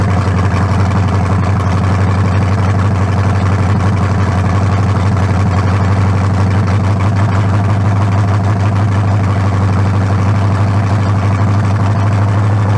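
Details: 1974 Nova's new 350 bored .040 over (356) with lower-compression forged pistons and a new converter, run without turbos fitted and good fuel pressure: deep, steady V8 idle burble, even and strong, no misses or knocks; healthy.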